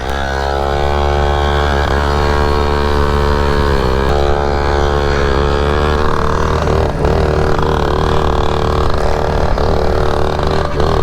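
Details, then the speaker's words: Yamaha PW50 two-stroke pit bike with a 60cc kit, idle set too high; held flat out it gives a steady high buzzy drone with an uneven, labouring edge, and the rider says it isn't running right at full throttle. "I'm almost I'm pinned, I think. I don't think it's running right for some reason."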